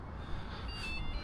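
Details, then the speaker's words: Losi Pro Moto MX RC dirt bike on a 2S battery with a gyro, at power-on. A brief high-pitched beep over quiet hiss warns that the gyro isn't happy; it was resolved by switching the bike and handset off and restarting. "Nope. That's telling me that the gyro isn't very happy."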